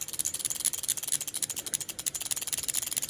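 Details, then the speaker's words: Bench test of homemade Speeduino plug-and-play ECU on factory 1995 Mustang 5.0L harness, engine not running, distributor turned by hand: original 30–35-year-old 1995 injectors click rapidly and evenly, about a dozen per second, firing properly. "spark, and you can hear these are original 95 injectors firing."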